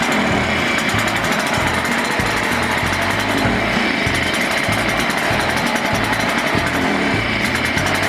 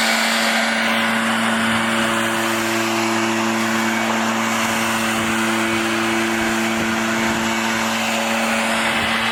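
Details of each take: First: Burned-up Echo PB-500T backpack blower two-stroke during rebuild: a ragged, uneven buzz that stumbles and surges instead of holding steady. The carburetor needs a rebuild kit and dialing in. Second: Echo PB-500T backpack blower after rebuild of burned-up engine and carburetor adjustment: steady, even drone with constant pitch and strong rush of air, no surging or sputter; blower running properly.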